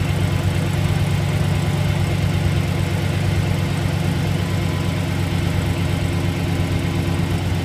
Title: 2008 Silverado Exhaust Leak or Knock